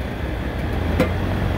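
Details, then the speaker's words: Restaurant AC unit (complaint: dining room too hot) restarted after a burnt wire was cut back and reconnected; even low hum from fan and compressors, one brief click, no rattle or squeal: condenser fan running normally. "We're gonna fire it up and see what happens. All right, I still need to put some screws in this, but I think I can do that after the fact. So here goes nothing. Condenser fan motor's running"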